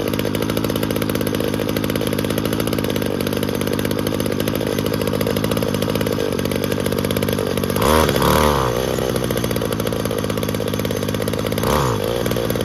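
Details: Weed Eater GTI 19 string trimmer, about 33 years old, from an estate cleanout, after carburetor/metering diaphragm work: high, buzzy two-stroke drone holding steady with a couple of brief throttle blips; runs smoothly and evenly.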